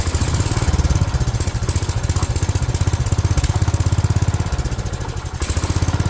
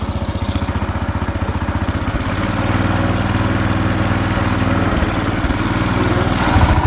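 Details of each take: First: 1970s AMF 1414 barn-find garden tractor, first run after a no-spark fix and fresh oil: single-cylinder chugging at fast idle with some weaker beats and brief sags. It sounds fuel-starved; owner suspects the fuel filter style doesn't suit its fuel pump. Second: 1970s AMF 1414 barn-find garden tractor with the fuel filter removed, choke off: even single-cylinder putter that picks up and holds higher speed smoothly without stumbling. The earlier fuel starvation is blamed on that filter, and it now throttles up fine.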